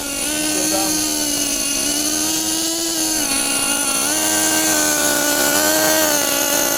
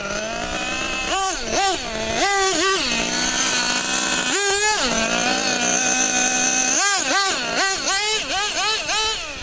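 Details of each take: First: 2014 Losi XXL2 LST 1/8 truck, Dynamite .31 gas engine, first ever run: high buzzy two-stroke drone holding fairly steady with slight wavering and burble, very smoky; mixture set very rich. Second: 2014 Losi XXL-2 1/8 truck with a Dynamite 31 gas two-stroke, first runs after minor low-speed carb tuning: the engine blips sharply up and back cleanly and pulls freely to high revs with no stumble; normal running.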